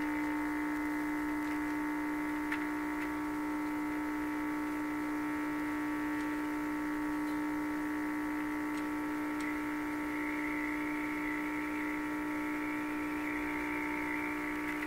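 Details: Bendix 526A 5-tube radio, badly stored in a damp location, powered on a restricted supply near 117 volts: loud, steady buzzy mains hum with only faint radio sound; poor power-supply filtering, failed filter capacitor to be replaced.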